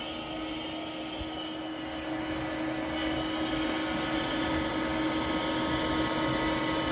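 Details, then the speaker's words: Compaq Deskpro 286e at its first power-up smoke test: a steady, even fan whir with a low hum, and no grinding or rattling. Power-up is normal; later beeps are likely from no keyboard being connected and possibly the CMOS battery. "nothing is grinding nothing is rattling i have every reason to believe that i would be getting video output right now"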